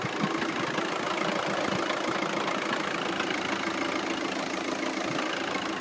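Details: Audi at idle: light irregular ticking/knocking about three per second over a steady hum; owner suspects the dual mass flywheel/clutch and considers a solid flywheel conversion kit.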